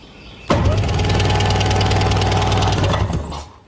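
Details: 1998 Sea-Doo two-stroke with good compression, spark on both cylinders and fresh fuel: steady fast cranking at about three pulses a second for nearly three seconds, never firing. Owner suspects the fuel lines/selector/filter or a dirty carb.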